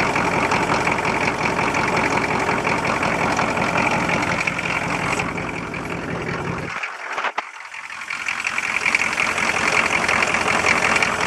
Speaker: 86 K20 with either a hole in a piston or blown head gaskets, or at least one of them. I'm not really sure which one yet, but this is what it sounds like.